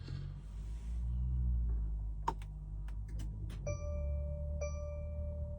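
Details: 2024 Mercedes Sprinter, battery fine and starter recently replaced, randomly won't start: foot on brake, start button press brings only a repeating electronic chime, no starter whir or crank; no-crank no-start, cause unknown.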